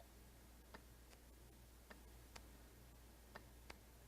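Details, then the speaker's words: Junkyard A/C compressor for a 2003 Hyundai Sonata LX 2.7L V6, bench-tested with direct battery power: crisp single clicks, five in about four seconds, as the clutch magnet engages; clutch working normally. "the magnets in there inside of our clutch and it's causing you to engage so this tells me that our clutch is working"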